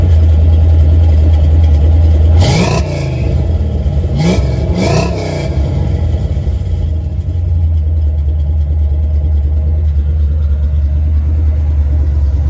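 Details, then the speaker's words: Datsun 280Z with small-block Chevy V8 swap (Edelbrock timing chain and parts): smooth even idle between three sharp throttle blips, no ticking or noises; runs really good, normal running. "Sounds good. Not bad. This runs really good, man. No ticking, no noises."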